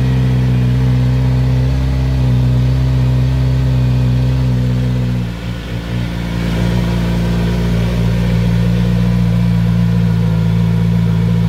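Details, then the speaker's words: Kawasaki Z900RS at 1600 miles, cold start: a steady, even idle held noticeably high with no misses, a known trait of this bike; high cold-start idle. "so as you can hear it does take over um higher than a lot of bikes I've had and I know I've read a lot of people saying the same thing about this bike"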